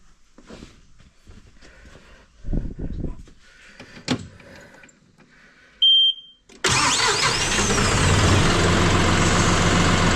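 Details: John Deere diesel tractor just after fuel filter change and bleeding air: handling sounds, a short beep, then it catches and holds a loud, steady clatter at idle, rain drumming; normal idle.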